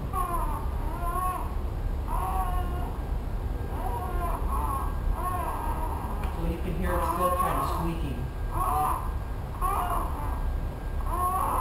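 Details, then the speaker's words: 2002 Toyota Camry, key on, engine not started, during power steering fluid change: short high squeaks about once a second as the wheel is swung back and forth, still squeaking; owner attributes squeak to the steering wheel, not confirmed. "I'm going to stop there so it still kind of squeaked"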